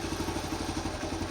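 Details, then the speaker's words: 1974 Honda C50, kick-started after about four to five months sitting, very cold: quick, even single-cylinder putter at steady idle with no knocks or misses; normal cold idle. "Honestly, that's after 5 months. She's a lovely old thing."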